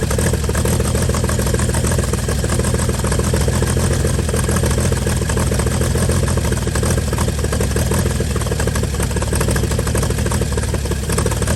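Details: 1955 Chevy inline six truck revived after sitting about 30 years, carburetor filled and leaking, just started: deep steady idle, even low firing beat, no knocks, misses or stumbles; normal idle.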